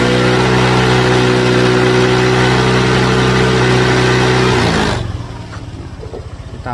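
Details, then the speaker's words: Honda Vario 150/125 scooter, warm engine, new battery fitted after idle stop failed from a weak battery: smooth steady idle for about four seconds, then the engine cuts out cleanly on its own; idle stop now working. "oke nah dia mati sendiri ya udah bisa ngetik sendiri"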